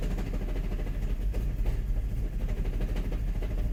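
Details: VW Mk5 GTI on cold start after new front and rear PCV valves: engine shakes with an uneven, lumpy low rumble and no steady beat; rough idle, cause unclear.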